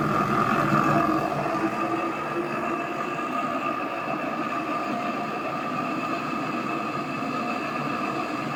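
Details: AEG Öko Lavamat 4100 washing machine spin test stepping through 800, 900 and 1000 rpm: loud, rushing jet-like roar with a sustained tone on top as the drum spins fast; worn drum bearings.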